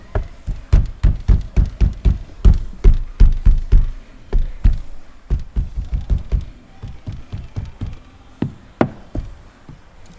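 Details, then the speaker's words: Project Legacy driver's front door during sound deadening (Focal BAM outer skin, Dynamat inner skin, wiring taped): hollow hand knocks about four a second, each with a short loose buzz; the rattle comes from a loose part in the door. "I was wondering where the rattling was coming from. It was this thing here."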